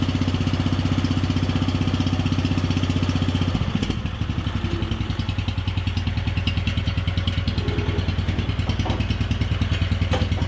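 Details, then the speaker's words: Wheel Horse 857 "Lil Mule" garden tractor single-cylinder, first start in two years with new battery, choke set: slow, lumpy thump about two beats a second, idling low and uneven, running rich; may need carburetor work, warming up; balance gears removed, tractor shakes at idle. "might need a little carburetor work here but let's see if we can just get her warmed"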